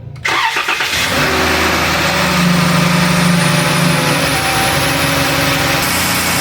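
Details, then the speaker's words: 2011–2017 Dodge Caravan 3.6L Pentastar after oil cooler housing replacement with intake manifolds removed and refitted: starter whirs briefly, engine catches cleanly and settles to a smooth, even idle with no knocks or misses, run with coolant cap off to burp. "It all sounds right. I'm just going to let it run for a minute here with the cap off to see if she burps herself."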